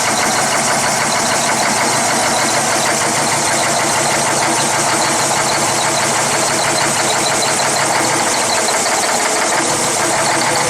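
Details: Cummins ISX CM871 diesel after bad injector replacement and restart: settles into steady, even idle with smooth clatter and no misses or knocks; normal idle.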